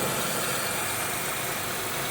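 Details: 2002 Buick LeSabre, first start after replacing upper intake plenum, lower intake and valve cover gaskets, EGR chimney, thermostat, PCV valve and coolant elbows; old leaked oil burning off exhaust manifold; smooth even idle, no ticking, hissing leaks or misses: normal idle.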